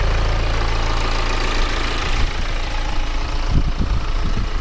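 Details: BMW E84 idling after timing chain, clutch and flywheel replacement, on 5W-30 LL04 synthetic oil, listened to under the bonnet: even idle with a deep steady hum and no rattle or chain slap from the front of the engine.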